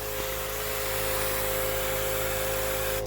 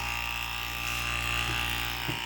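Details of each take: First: 12-volt pressure pump (low volume) on RZR 800 washer system, lines bled of air: steady electric hum running only while trigger squeezed, constant hiss of spray stopping cleanly on release; normal operation. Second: 12-volt pressure washer pump drawing from 1.3-gallon gas can on RZR 800: steady high buzzing motor whine, no load or pitch change, pump running dry and not priming, no water coming out.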